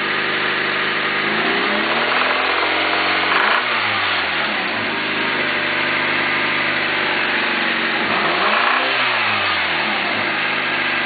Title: rod knock?